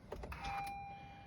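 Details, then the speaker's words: Honda Accord with KTuner, keyed back on after ECU recovery mode with a charger connected: a few quick motor whirs then a steady high electronic beeping; normal key-on self-check. "That's the sound that you want to hear. See, I knew something sounded different when I did it before. So I wait for it to stop beeping."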